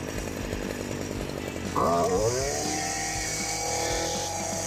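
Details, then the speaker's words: STIHL FC 56C edger that would not reach full throttle, after a slight adjustment: small two-stroke rises from rough low speed to a smooth, steady high-pitched scream at full throttle; running healthy. "Well, that baby's moving now. So after a slight adjustment, we got it sounding really, really good."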